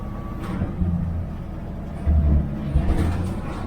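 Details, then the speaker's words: 1969 Chevy Van that sat off the road for 35 years, cold start after sitting a week: it starts right up and holds a raised fast idle for a while, with heavy low rumble and the whole body vibrating. "Stays on high idle for a while. So everything's vibrating."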